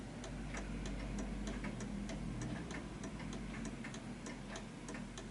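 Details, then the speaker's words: Art Deco chiming mantel clock, adjusted on an uneven surface: even, steady tick-tock about three and a half beats per second in a quiet room; the clock is in beat. "Now you can hear it sounds perfect, and it's on an uneven surface, and it's ticking away quite nicely."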